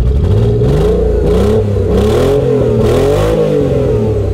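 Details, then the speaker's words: Vehicle with rusted leaking exhaust, started with exhaust removed before fitting new one: loud, raw, deep unmuffled bark climbing and falling with revs, idle dropping down sounding somewhat V8-like. "that is starter up with an open exhaust and here we go let's see what she sounds like all right that sounds really good and once the idle drop down it kind of sounds like a v8 just a little bit it sounds really good"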